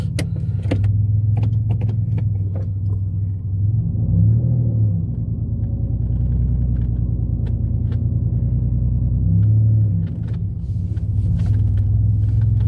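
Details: Mitsubishi 3000GT SOHC with gutted catalytic converters, after earlier falling flat around 4,500-5,000 rpm (intake, fuel filter, valves checked OK); windows up. Low exhaust drone climbs and pulls cleanly through the upper revs past 4,000 without falling flat.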